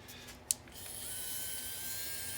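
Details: Small plug-in, made-in-China manicure/pedicure high-speed rotary tool with diamond bit, bought at auction: click at switch-on, high whine rises quickly and holds one steady pitch; motor spins freely, normal running.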